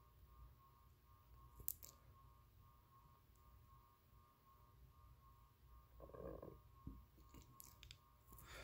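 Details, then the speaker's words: 52" SMC Impressions ceiling fan with Saturn copy light kit on low speed. Faint steady motor hum, not bearing noise; not on a variable or solid-state speed control, and owner unsure if the hum is from his wiring. Fan also wobbles. "usually if a fan were humming like this would be because it's on a variable speed controller or a solid state speed control but this is not on a variable speed or solid state speed control"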